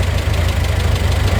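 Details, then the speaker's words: Talbot Express van after engine mount and valve work, idling after a test drive: steady low idle with a rhythmic puffing, chuffing pulse on every firing stroke; exhaust leak blowing, sounding pretty bad, possibly needing a full exhaust system. "i can't see any leaks at the moment sounds quite quiet other than that exhaust leak which is sounding pretty bad"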